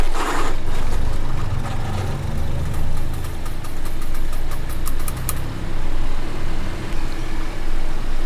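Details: Car wheel clicking while rolling: sharp light ticks about five times a second over road rumble, before the fix. Poor hub-to-disc contact was cured by cleaning the wheel and disc faces with brake cleaner and refitting the lug nuts in a star pattern.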